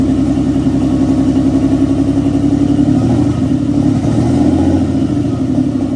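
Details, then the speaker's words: 1992 Nissan 300ZX with freshly installed engine, start on untuned twin-turbo ECU: lumpy, uneven running with an irregular stumble a few beats a second; misfire suspected from running rich on a big vacuum leak. "It has a little mist though, so you might have something going on."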